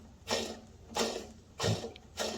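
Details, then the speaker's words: Craftsman 28-inch snowblower, model 247.888740, only a couple years old, auger drive pulley removed: quiet gritty rasp in bursts as the auger bearing is spun by hand; noisy worn auger bearing, to be replaced. "already noisy. This is going to have to be replaced."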